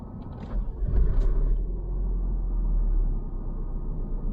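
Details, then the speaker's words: Vauxhall Vectra after the exhaust flexi was welded into place and the joint redone: deep, even low rumble with no puffing, ticking or hissing; exhaust now sealed and sounding much better. "oh yeah it sounds much better"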